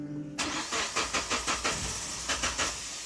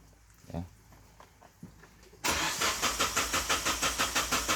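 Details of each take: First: 2008 Suzuki Grand Vitara (injection) converted to LPG, restarted after the gas tap was shut and reopened: about a dozen even cranking turns before it catches; slow start from excess gas flooding. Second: Suzuki Grand Vitara (fuel-injected) converted to LPG from a 3 kg cylinder; the engine died when the gas valve was closed, and the valve is reopened for a restart. Starter cranks in even pulses, about three a second for four seconds, then fades; no odd noises.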